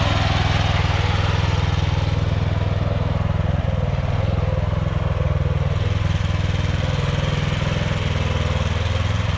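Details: Walk-behind tractor (motoblock) single-cylinder started in sub-zero temperature, running with a strong, even low thump at constant speed, no misfires; runs smoothly.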